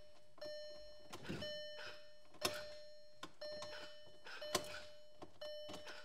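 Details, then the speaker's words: VW TDI CJAA diesel, fuel filter replacement, key cycled with filter line open: relay clicks and door chime, no fuel pump hum; normal, the pump doesn't prime on key-on. "so you can hear no fuel pump turning on you can hear some clicking but the fuel pump's still not kicking on"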